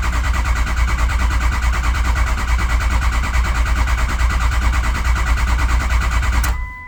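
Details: Ford 6.0 Powerstroke diesel, crank-no-start; cranked with FORScan (ICP voltage 0.21, IPR 14%, sync good, ICP climbing). Heavy, steady cranking thumps, a bit over two a second, with no firing.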